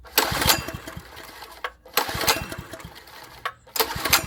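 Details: Poorly maintained wacker plate compactor after a plug change and priming, with spark confirmed: repeated recoil pulls, each a short rattling burst, and it never catches. It cranks but won't start; a piece missing from the carb float chamber is suspected.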